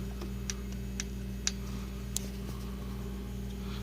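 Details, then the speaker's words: 1997 Mitsubishi Mirage LS 1.8L 4G93 with mechanical lash adjusters: sharp light ticks about twice a second over idle, worse when pulling away, from excessive valve lash before adjustment. "um i don't actually know how far off they are i mean you never really know that ahead of time but um i just like i said i heard too much noise and uh i don't like it"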